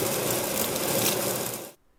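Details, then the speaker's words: Longboard rolling: a fast, dry clattering rattle that stops when the board stops, caused by loose parts on the axle rather than the bearings. Loose wheel spacer rattle. "aber wenn dieses geräusch bekannt vorkommt dann kann ich die garantieren dass sind nicht deine kugellager dna stimmt sondern sind einfach nur lose teile an deiner achse"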